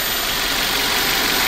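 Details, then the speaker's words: 23-year-old Toyota with 7A-FE four-cylinder, 213,000 miles, idling: smooth, steady idle with even hiss and light clicking, no knocks, misses or speed hunting; purrs quietly, normal idle. "Listen this, it purrs like a kitten, it clicks, and it's quiet like a Swiss watch."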